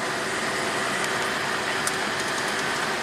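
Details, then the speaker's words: 1995 Acura Legend V6 with an A/C control fault, engine running after a backup switch was wired in to ground the control wire: steady, even rush of air from the blower, no cycling or squeal; A/C working normally. "So we'll start it up. [Applause] should get nice and cool."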